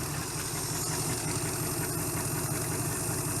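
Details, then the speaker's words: 1971 Chrysler eight-door airport car with a cracked block epoxied, first start with no coolant in it: settles into an even idle with a steady low rumble, no knocks or stumbles; runs well. "Fart up. Oh, runs good. Wow, that went much better than expected."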